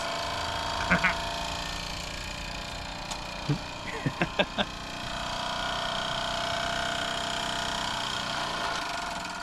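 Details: Post-1978 Mamod TE1a live steam tractor on its first steam-up after a cleaning and new seals. Steady hiss of escaping steam, with steam noted leaking from the piston and a few light clicks. The engine is ticking over and running properly.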